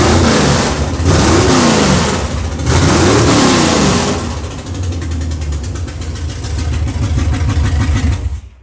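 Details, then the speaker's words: 454 big-block V8 from a yacht being fitted to a 1957 Chevy, after swapping a passenger-side plug wire: revs hard twice, then a choppy, uneven exhaust beat; the paper test confirms a leaking valve, audible only when revving, not at idle. "that's a valve yep that paper test yep tells you every time when it sucks it up to the exhaust and at idle you don't hear it it's only like when you're revving on it"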